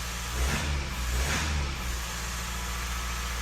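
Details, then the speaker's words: Mazda 3 diesel restarted after codes cleared, following a new brake servo for a P258B hard pedal: it catches, blips up briefly and settles into a smooth, even idle with no knocks or misses; runs normally. "and she runs lovely so there you have it"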